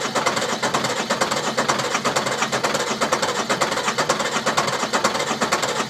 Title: Sisters no start issue